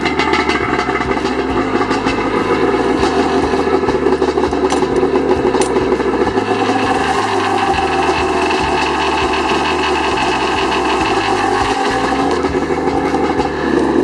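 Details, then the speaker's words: 1995 Yamaha WaveRaider 760 two-stroke PWC, used-purchase inspection without a compression gauge: steady, even idle with a rhythmic low pulse, no stumble, holding without choke. The consistent sound suggests no dead cylinder. Normal running. "I hear that it's it's it's consistent it's not going and that would indicate that you would have a dead cylinder or something"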